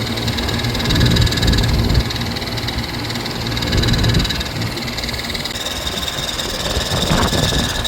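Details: AC outdoor condenser unit whose fan motor had been replaced twice recently, possibly with the wrong motor; about 110°F in Southern California. Rough, uneven drone with rumble and rattly vibration that surges, and the sound changes when the motor is pressed. The fan motor is probably worn.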